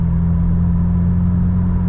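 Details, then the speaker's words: Jeep Wrangler TJ idling with new fully welded exhaust and Thrush muffler replacing a droney, leaky Flowmaster FlowFX; a deep, smooth, even rumble with no puffing or ticking. Not quieter at idle or startup, no exhaust leak; normal idle. "yeah it definitely does not sound any quieter when you're just sitting here and whenever it starts up"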